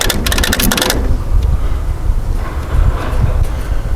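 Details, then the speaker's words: Old Case 900 tractor that sat many years, fresh battery fitted: rapid burst of sharp clicks on the key, starter chatters but never turns the engine over; suspected seized engine or weak battery, not confirmed. "that's what she wants to do just wants to click yeah if we lose on battery there's a Battery Solution dude it's just that's it's not engaging"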